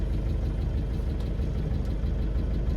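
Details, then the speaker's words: 1988 Land Rover 110 Defender, 300Tdi diesel, automatic, roughly 150k miles estimated, just started after sitting in cold weather: deep heavy clatter at steady low idle with slightly uneven beat; rough when cold, fine once warm. "Actually takes a little bit of coaxing once she's been sitting for a while, and then idles a little bit rough, but then once it warms up, it's fine."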